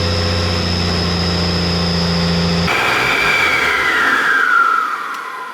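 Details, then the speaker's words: 12 valve Cummins diesel warmed up for head stud re-torque: smooth, even idle with steady low beat for a few seconds, then shut off and spinning down; ran about 15 minutes and sounded great, healthy. "But we got a good 15 minutes, got to listen to it run. That was pretty fun. Yep. So pretty exciting. Yep. Sounded great."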